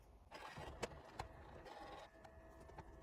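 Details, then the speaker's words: PSA-group car, automatic climate control flap actuators run via Launch Creader Elite V3 PC test (recirculation motor): faint whirring of small motors with soft clicks as flaps sweep, even and unstrained; normal operation. "En tout cas, effectivement, ça active tous les volets de la climatisation automatique. Donc on entend des petits moteurs et puis des petits volets effectivement qui euh qui s'agitent."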